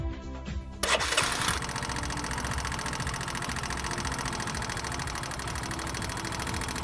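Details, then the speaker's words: Kawasaki motorcycle engine idling with a fast, sharp metallic ticking from the upper engine: tappet noise, which increases as the engine warms, caused by worn camshaft lobes or excessive rocker arm-to-shaft clearance. "A sharp metallic noise heard in the idling stage from the upper side of the engine, which increases with a rise in engine temperature. The causes of the tapit noise are worn out camshaft lobes."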